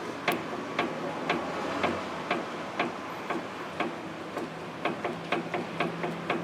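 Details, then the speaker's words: 2010 Nissan Maxima front end with clunk over bumps: sharp knocks about twice a second as the stabilizer link is rocked by hand; worn sway bar link ball joint, links need replacing. "the noise and of course you that noise is amplified by the weight of the vehicle on here it's going to be very very loud alright so we know that these stabilize the links are no good they need to be replaced"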